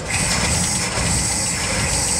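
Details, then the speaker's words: 1961 Cadillac limousine pulled from long storage, first start: engine catches and settles into a steady, even idle with no knocks or misses; normal idle. "Bro, it runs. This is amazing. It runs."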